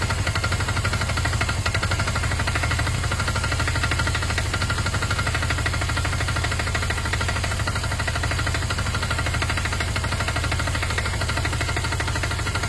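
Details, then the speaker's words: Motorcycle idling after a battery earth wire was refitted, revving fine with no power loss: a dull, fairly even knock of about three beats per second over the engine note. Owner suspects old oil; oil looks okay. Cause unclear. "okay so yeah that's not something too healthy at all at this stage is that engine knock I don't know what they is I had noises like that before and they're not overly they kind of disappear after the oil circulates or so on and some engines just a bit louder than others"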